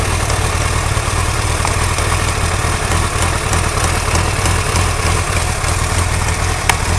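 Fast, light ticking over a lumpy idle; the cause isn't clear from the sound alone.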